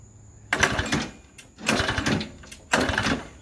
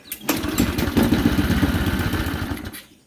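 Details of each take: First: Modified Briggs and Stratton engine for an airplane project, new crankcase oil flicker, bungee-corded to a chair, primed and pull-started: four short sputtering bursts, each catching about a second then dying; failed start, gas leaking out. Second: Briggs and Stratton engine for an airplane project after a new oil flicker was fitted, the old oil port plugged and 12 oz of 10W30 added: primed, it catches at once and runs with an even putter, with no oil leaking.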